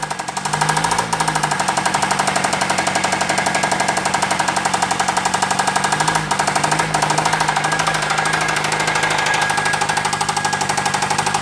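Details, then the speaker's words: Chrysler 2.4 L engine run with coolant drained: loud engine with fast steady knock about four a second and a light metallic ting, which is flywheel harmonic; the knock and tap come from the engine, cause unconfirmed. "The little lightweight ting is the flywheel. It's more of a harmonic than it is a knock or a tap. The knock and tap's coming from the engine."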